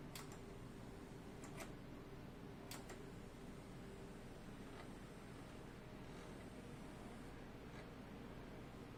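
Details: Vintage Mitsubishi DA-C20 stereo preamp: low steady intermittent buzz with a few sharp clicks; buzz stops when speaker outputs are disabled, but unplugging the source does not stop it.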